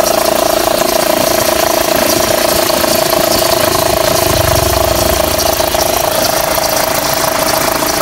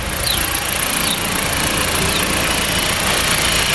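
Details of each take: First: Fiat Freemont 2.4 at idle with AC switched on: steady mid-pitched accessory belt squeal under compressor load, wrongly blamed on AC compressor; fix was replacing the overlong 6PK 2575 belt with a shorter 6PK 2563/2565. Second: Fiat Freemont 2.4 idling with air conditioning on after repair; steady even idle, belt squeal gone; the noise had been wrongly blamed on the AC compressor but came from the belt.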